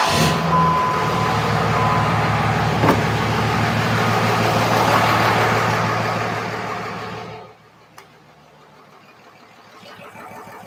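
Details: Freshly reinstalled 5.9 Cummins diesel in a truck, run after tightening transmission lines, no antifreeze in it yet: firm regular idle beat for several seconds, then it winds down and stops. Normal idle.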